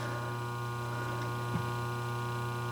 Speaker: okay can barely hear it that's the way it should